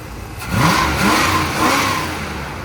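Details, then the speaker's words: 1987 Dodge Ramcharger 360 V8 after Holley carb rebuild, aluminum intake swap and timing set to about 10° base, 30-32° total: revs cleanly through blips and settles to steady idle without misses or pinging; normal. "here's where here's where we at now we're feeling a lot better it's feels good a little more bull bye than I remember"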